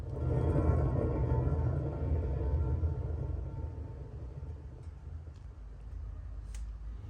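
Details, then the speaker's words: 2006 Nissan Altima front steering knuckle removed, worn wheel bearing hand-spun: rough low grinding rumble fading as it slows, with visible wobble. "can hear grind too guys we also just got a little wobble out of it off [Music] camera"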